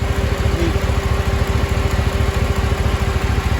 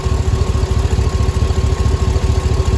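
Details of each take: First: 2005 Cadillac Escalade 6.0 LQ9 idling after lifter replacement and valve job: smooth, even idle with the previous lifter tick gone. A slight exhaust manifold leak remains from broken and missing bolts. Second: 2005 Cadillac Escalade 6.0 LQ9 V8 idling after lifter replacement and valve job: smoother than before and the lifter noise is gone, but a quick puffing tick rides each firing pulse. The exhaust manifold is leaking, with two bolts broken and three missing.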